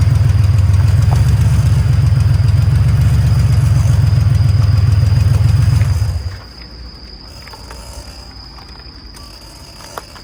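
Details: Porsche 964 rolling: deep droning hum pulsing about three and a half times a second, gone when car stops; worn wheel hub bearing.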